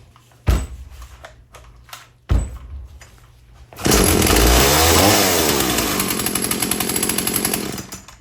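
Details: Husqvarna chainsaw after rebuild, with new air filter and new primer bulb fitted before carb tuning: after handling noise it fires into a steady high-pitched buzz that holds without stumbling; normal running.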